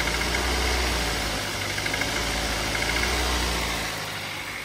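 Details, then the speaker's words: Toyota Avanza at idle: a dull, fairly regular tok about three to four per second from inside the engine; mechanic suspects piston knock, timing chain seems quiet, and the cylinder head gasket seeps oil; unconfirmed. "Jadi suara tok itu e kemungkinan sih piston ya."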